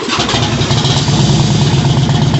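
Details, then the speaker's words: Neglected 2001 Harley-Davidson Road King, which earlier wouldn't idle and backfired, after new plugs, air filter, 93-octane fuel and B12 cleaner, warming up: deep, steady V-twin rumble with no popping or misfire. It now runs healthy. "guys this thing runs way better now so much better oh thank God engine sounds healthy"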